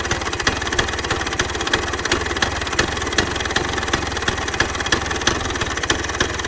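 Crisp, even two-stroke popping at a steady idle, regular beats about three per second with no misfires; engine running healthy.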